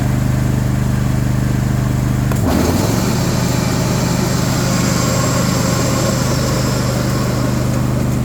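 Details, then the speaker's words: John Deere S130 lawn tractor at first startup diagnosis, ticket noting starts, belt, squeaks, pulley: engine hum shifting as the deck engages, then constant whir and rattle from the deck; worn idler pulley bearing and loose mower blade. "Good golly, for such a nice new mower, making all kinds of noise. Definitely hear deck noise, and definitely hear pulley noise when you have the clutch disengaged."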